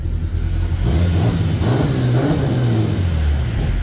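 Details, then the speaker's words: Jeep six-cylinder: engine picks up and drops back smoothly with an even, steady note, no stumble or misfire; revs much more cleanly than before, though idle still slightly lopey. "It revs so much more cleanly now. That made a massive difference."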